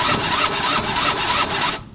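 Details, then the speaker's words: Gilera DNA 50cc scooter: brief high starter whir under two seconds, then cuts out, with the key not even on. The starter is engaging by itself from a faulty solenoid, which the owner suspects could have blown the CDI. "What the hell was that? Look, guys, the key's not even turned on."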